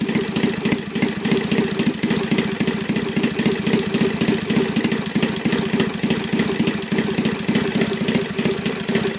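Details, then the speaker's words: Saito FA 270T four-stroke twin model engine on stand, first run after eBay purchase and kerosene cleaning, hand-started: steady, even low popping idle, no stumbles or rattles; normal smooth idle. "That's idle, and that sound I like very, very"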